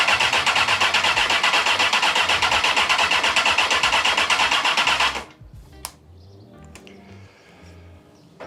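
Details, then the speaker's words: 2002 Honda CBR954RR Fireblade, first start after rebuild with owner-refurbished fuel pump and new plugs: steady fast starter churn about five seconds, roughly three turns a second, never catches; crank no start, fuel pump failure, no fuel. "Well, it looks like it's not starting, so let me do some troubleshooting and we'll see what's going on."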